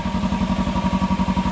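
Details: 2015 Kawasaki Ninja 300 race bike after sitting for months, after cleaning fuel injectors and reinstalling fuel pump: even, steady idle thumping about eight beats a second with no misses or clatter; running cleanly.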